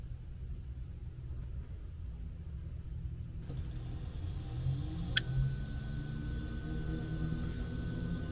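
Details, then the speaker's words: HVAC variable-speed blower motor just replaced after the old one failed and only tried to spin: low, even rumble winding up smoothly with no ticking or grinding; new blower running normally. "That's how it's supposed to sound. [Music] Yeah. You're ready to rock now."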